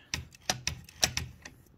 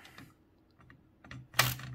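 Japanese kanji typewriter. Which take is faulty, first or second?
first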